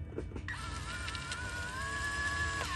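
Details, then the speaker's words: Lexus GX470 center differential lock actuator after repair with a replacement shaft and new seal: short electric motor whir for about two seconds, then a clean stop, cycling unlock and lock; the dash light goes solid, so the repair worked. "okay I heard it again so I think we had to hit the button to like go through the unlock and then lock so I heard it in both directions that time"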